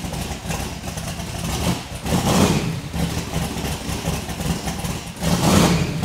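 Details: XC Falcon ute's methanol-carburetted twin-turbo 351 Cleveland V8 with newly fitted Haltech VMS, started in a closed shed; catches and rumbles, several crisp throttle blips with clean rises and drops; normal start and revving.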